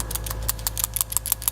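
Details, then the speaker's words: 2000 Saturn SL2 at idle after cleaning the PCV valve, pipe, grommet and hose; quick light clinks about six a second over a soft idle, more clinking than before; rusted worn PCV valve rattle, to be replaced. "this is a lot more sound and clinking than it was before, but I'm not happy with it still. Because it is rusted, I want to replace it, but I don't have a replacement part with me right now."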